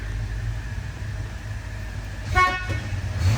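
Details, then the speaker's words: 1977 Ford F-100 with a 302 V8: low engine rumble, then a clear, bright, steady horn honk; the horn works. "Horn does work."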